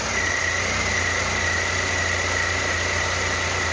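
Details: Renault Kwid started after cylinder head removal and reinstall to fix a misfire. Smooth, even idle with a faint steady high whine, no stumbles or shaking; the engine runs cleanly after the repair.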